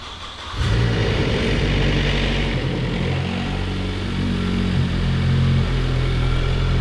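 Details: Focus ST with a completed custom stroker (STRS) engine rebuild: the engine catches, then a deep, even exhaust note rises and falls with the throttle, free of knocks or rattles; sounds good.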